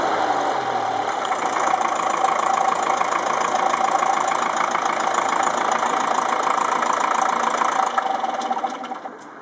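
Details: Ferguson TEF-20 diesel tractor first run after full engine rebuild (pistons, liners, bearings, valves, springs, clutch, seals), injection pump re-timed after being 360° out: steady even idle clatter, no misses or knocks, then winds down cleanly at shutdown; healthy.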